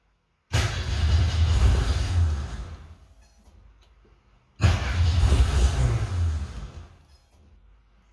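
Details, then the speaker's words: 1963 Falcon, turbo 2.3L, aftermarket throttle body: engine fires and settles to a low, lumpy idle that sags and nearly dies twice. Idle too low, IAC at 40% even with a little throttle; owner suspects changed parameters and plans to refit the throttle stop. "well it's definitely lower too low i think i changed some uh parameters in there i have to go back and uh double check them"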